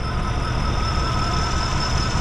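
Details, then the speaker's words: Chevy C30 3500 truck idling after the fuel pump was cycled and confirmed pumping from this tank, with the water pump connected: a steady, even low rumble and faint constant whine, no misses or knocks; normal idle. "Yeah, it's pumping. So this tank's working now. Okay. Okay, we're running again."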